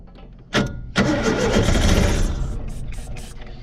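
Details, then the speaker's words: 1970 Opel sitting about 41 years, starter solenoid jumped and gasoline sprayed into the carburetor: two cranking bursts, then it catches and runs briefly before fading. "there we go we got her running now come on pick up fuel pump"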